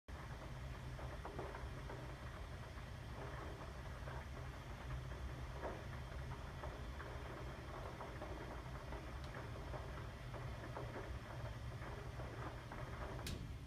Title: 2017 January - should my water heater be making this noise?